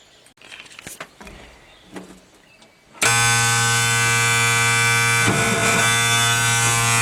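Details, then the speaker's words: M816 military 5-ton wrecker with air-over-hydraulic brakes, running with air in the system; pedal drops to the floor while a constant hiss of escaping air rides over the engine drone, no outside leak found, cause unknown. "okay guys truck is running air is in the system okay so we're right to the floor and you can hear the air leaking"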